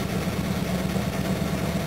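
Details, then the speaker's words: XJ12 Jaguar V12 after a cranking fix: cold start then smooth, even low rumble with a steady beat and no knocks or misses; normal cold idle. "I'm now going to go somewhere so let's see how it starts cold oh that tap's better"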